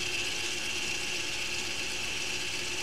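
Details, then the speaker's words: Audi Q5 rear electronic park brake put into service mode by a diagnostic tool (F2) for pad replacement: a steady, unbroken high-pitched whir for three seconds as the caliper motor winds back out normally. "okay so at this point this little motor here is spinning back out and that will allow the pads then to be changed when we need to"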